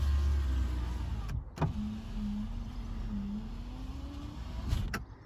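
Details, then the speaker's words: Proton Satria GTI power window: a low, steady motor hum lasting about three seconds between clunks, its pitch sagging as the glass travels. The window works but moves slowly. "this one works so I've used that long works it'll be it quite slowly but it does work"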